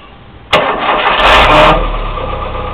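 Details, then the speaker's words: Volkswagen (also GM, Fiat) car starter motor: sharp engagement then harsh raspy whirr through the crank before settling; noisy starter with worn bushings, fix is rebushing and cleaning at an auto-electric shop. "Quando ele fizer esse barulho, procure imediatamente uma autoelétrica para resolver esse problema. Tocar o embuchamento, dar uma limpeza e tudo vai ficar ok."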